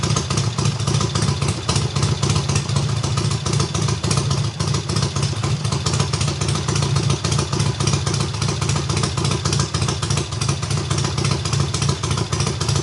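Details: Triumph hardtail motorcycle, full cold start on about the third or fourth kick after sitting nearly a year unrun: very loud, rapid exhaust pulses holding a steady high idle with no knocks or misses; running healthy.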